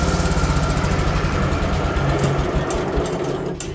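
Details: Small engine on a 3416 lawn tractor, test run after the deck, PTO and drive belt were adjusted: chugging slowly with clearly spaced, slightly uneven beats; it runs well below speed until the governor is turned up.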